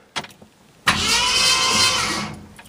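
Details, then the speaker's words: 1966 Ford Thunderbird during pre-start ignition work, new rotor fitted, cranked without firing to blow excess oil out of cylinders: starter spins engine freely and evenly about a second and a half, steady cranking whir, normal. "so I'm going to go in the car I'm going to crank it over to judge it and we're going to blow whatever oil is in there out"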